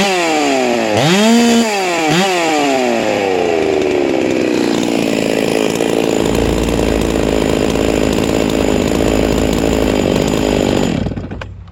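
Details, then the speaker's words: Hypo 660 build chainsaw with ported work, just after adding a third muffler port, 25 bar fitted: a few quick revs up and down, then a steady crisp high-speed scream; strong, snappy and healthy. "i don't know if it's back pressure or what but it didn't donkey kick my ass after putting that port on it"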